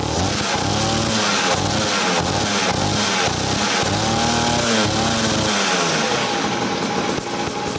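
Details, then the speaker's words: Raptor 87 pocket bike two-stroke revving with crisp rising and falling pitch, buzzy but muffled by a modified canister and added perforated-tube silencer; exhaust sounds healthy. "Ayan guys so ito na yung sound check natin na meron siyang additional silencer"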